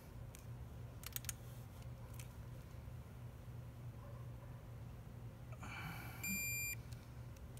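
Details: Snap-on 3/8-inch drive digital torque wrench: a few light clicks, then a short steady high beep of about half a second as it reaches its set torque, with a reading of about 44.3.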